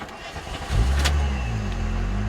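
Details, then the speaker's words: OBD1 VR6 Corrado, first start after an ECU swap to supercharger software: a brief crank, then it catches within a second and settles into a steady, smooth idle. Normal start. "it starts up that's a very good sign that it starts up"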